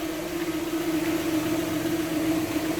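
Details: 1995 Toyota Tercel petrol engine, hood open: steady, unchanging mid-pitched whine over the idle. The car shakes in drive and reverse but not park or neutral; owner suspects the MAP sensor or TPS; cause unconfirmed.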